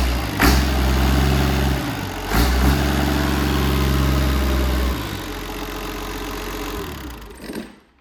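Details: Perkins 6354 diesel, stood outside rusting for 25 years, test-run briefly without coolant or water pump: deep, steady idle with even low thrum and no knocks or misses, then winds down smoothly; sounds all right.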